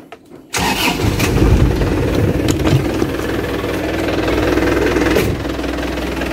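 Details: Isuzu Panther LV 2.5 Turbo diesel, 2010, after replacing the failed pump motor, hoses and reservoir: quick start, then a steady diesel clatter at even idle with no misses or knocks; engine reported healthy with no oil-filler blow-by.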